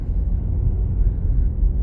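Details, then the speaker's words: Worn left front wheel bearing, traced with clamp-on chassis-ear microphones while driving: low steady growling rumble at low speed from inside the car that seems to come from the right but is the left front. "that's the noise right there. It sounds like it's coming on the right side, but but nope, it's a left front."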